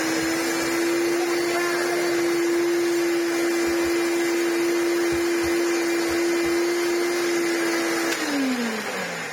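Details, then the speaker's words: Restored Maytag U5288 bagless upright vacuum (Hoover Turbolite-style, 625 W) after refurbishment, bearings regreased through resealable caps: steady, even mid-pitched fan-motor hum with no rub or rattle, winding down smoothly at switch-off; normal running. "and I could get a load of grease in there, and that was really worth it. That sounds beautiful."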